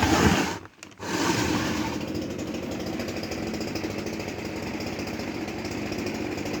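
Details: Kawamoto NF2-150SK well pump, sold as junk with missing parts: the running motor gives a harsh, rattly, steady rough buzz instead of a clean hum, indicating abnormal noise inside the motor.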